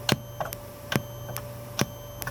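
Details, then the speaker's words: Goldstar FA-785 amplifier: sharp tick/beep through the speakers at every front-panel button press (mode, mute, loudness), same level regardless of volume, over a faint hum; cause still unknown. "프런트에 모든 버튼을 누를 때마다 삑 삑 삑 하고 소리를 한다."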